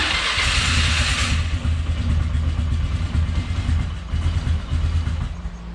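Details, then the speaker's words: 1999 Polaris Sportsman 500 ATV, fully reassembled after fuel pump replacement, cold start: catches and settles into steady, slightly lumpy single-cylinder idle with low thump; cold-blooded but starts and runs good; normal cold start. "she cold blooded but starts and runs good yeah sounds pretty good"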